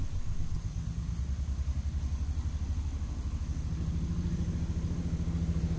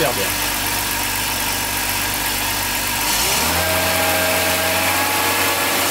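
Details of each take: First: BMW 325ti E46 Compact inline-six that runs like a three-cylinder instead of a smooth six: low, lumpy rumble with an uneven pulse at idle, likely misfiring on several cylinders, cause not yet confirmed. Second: BMW 325ti inline-six: petrol engine ticking over evenly, then a smooth steady step up in revs, no misfire or knock, normal idle.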